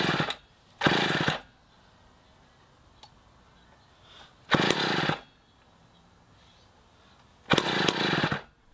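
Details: 1960s Homelite C-51/XL-12 two-stroke chainsaw being revived gives short raspy revving bursts that die between pulls and won't keep running; it keeps flooding the carb for unknown reasons, so the low-speed screw was turned in to lean it.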